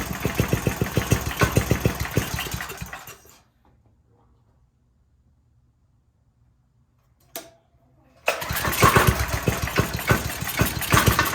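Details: Briggs & Stratton 5 hp engine on a generator, after reassembly with the exhaust refitted: chugs unevenly for about three seconds, fades and stalls, then fires again; it starts but won't keep running. Owner suspects the governor arm position.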